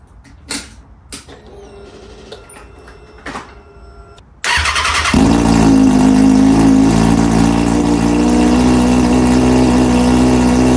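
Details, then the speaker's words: Salvage wrecked Kawasaki Ninja ZX6R starting on the header only with no muffler fitted: a few clicks, then it fires and settles into a very loud, raspy idle; loud only because the muffler is off. "it does start it's just the header right now that's why it's super loud but it does start"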